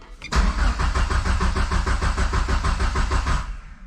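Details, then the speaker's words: Mitsubishi 2G GSX on FuelTech ECU, wasted spark: starter spins engine evenly about three turns a second, never catches; cranks no-start, no crank signal seen, only cam; suspected crank angle sensor connector wires not seated fully. "Okay. All it's seeing is the cam. It's not seeing a crank signal at all. So I do have some wiring issue."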